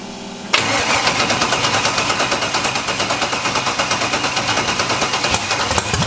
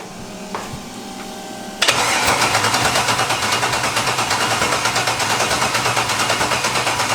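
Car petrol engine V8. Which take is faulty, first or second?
second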